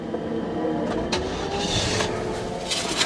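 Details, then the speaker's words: Copart auction vehicle with 40,000 miles that starts only with the foot on the brake: engine catches, then sputters and runs rough for a few seconds without settling to idle before dying; stalling after start. "oh she is spitting and sputting [Applause] and she died"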